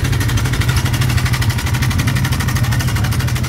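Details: Running engine with a loud, fast, fairly steady metallic clatter from the head, about three beats a second. The mechanic suspects the timing chain and guide, and the tensioner is said to be OK. Timing chain rattle.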